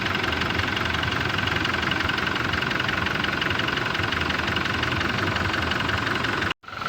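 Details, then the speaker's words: Toyota Hilux 2GD diesel: even, steady idle with only light clatter, no knocks or irregular beats; sounds healthy. "So mas lalo pa siyang tumahimik kung natakluban siya."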